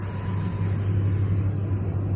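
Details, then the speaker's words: Whirlpool Stain Wash Ultra 6.5 kg washing machine on its spin cycle after gearbox replacement with new 6205 and 6006 bearings and oil seal: smooth, steady low hum, earlier spin noise gone. "पहले spinning में आवाज़ आ रहा था। Problem solve हो चुका है इसका, अब इसमें आवाज़ नहीं आएगा।"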